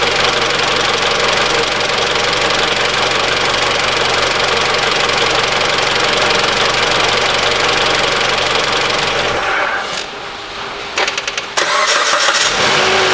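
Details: 2013 Mitsubishi ASX 1.8 petrol, CVT, 448,000 km, warm after repeated restarts, with the alternator overrunning clutch pulley replaced (the upper idler was first suspected). Even running with no squeal or chatter from the belt, then a clean shutdown; fixed.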